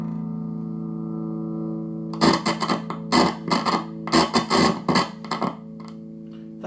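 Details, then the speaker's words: Fender Twin Reverb with random feedback-like noise complaint: over steady hum, each tap on the second preamp tube sets off a loud metallic ring through the speaker; very microphonic, a significant problem. "very microphonic second tube why it why it microphonic i think this is a significant problem"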